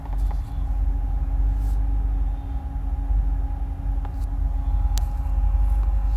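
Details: 2008 Corvette C6 automatic, tuned, with cold air intake, long tube headers and no cats: loud, low, slightly uneven idle; the rpm seems to dance as the fans kick on, and recent plug change didn't help. Rough idle.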